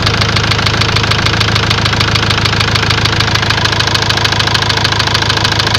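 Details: Ford Transit diesel idling with a sharp, regular knock about three per second over the clatter; scan shows high-pressure calibration data, cylinder balance fault and a leaking injector, plus loss of revs, knock cause unconfirmed.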